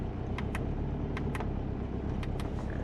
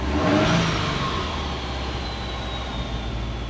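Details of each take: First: Subaru Forester on a Haltech ECU idling fast, steady and even. It runs rich (AFR about 10 against a 14.7 target) at a high idle. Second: Subaru Forester on Haltech ECU, idle fixed after TPS misreading 22% caused rich running; timing reduced to 15° in idle cells, idling near 1100 rpm; engine blips up cleanly and settles smoothly without stumble; revs healthy.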